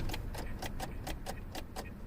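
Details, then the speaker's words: 2003 Suzuki Aerio SX 2.0L that won't crank, with gauges and accessories working: rapid, even clicking at three to four per second with no cranking. Starter solenoid clicking from a dead battery. "that's definitely a dead battery is it only going to be a dead battery"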